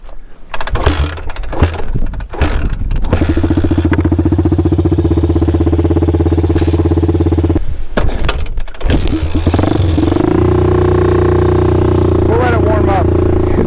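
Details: 1984 Honda 200X three-wheeler, carburetor rebuilt after floats had been installed upside down, old fuel, choked: fires and runs but cuts out and stumbles when throttle opens before an uneven run; hesitates under throttle.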